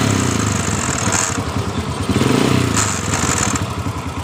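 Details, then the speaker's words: Honda Supra Fit motorcycle: even idle, but a dry, fast clattering "kretek" rattle from the engine side each time the throttle opens. Suspected starter/dynamo gear rubbing the magneto (magnet) rotor, later replaced. Starter gear rattle. "semacam dari gear dari dinamo patirnya yang ketemu dengan magnet seperti itu yang saya Analisis"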